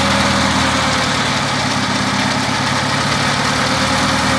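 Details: 1990 Talon petrol engine at idle with a dull, uneven knock coming and going over the steady rumble. The owner wonders if it is piston slap, but the cause is unconfirmed.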